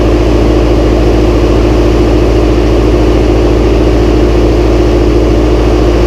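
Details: Massey Ferguson 135 tractor first start after oil change, filter and valve adjustment, high-low in neutral: even low thrum about three beats a second, no knocks, ticks or stumbles; starts straight up, idles smooth and healthy.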